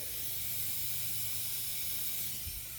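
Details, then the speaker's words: 900whp Toyota Supra making only 21–22 psi against a 29 psi target, leak audible from about 12 psi: a loud, steady high-pitched hiss. Boost leaking badly at the bottom wastegate fitting, which apparently wasn't seating fully. "it's leaking off so bad it's not looking at I'm trying right now it is really bad down here"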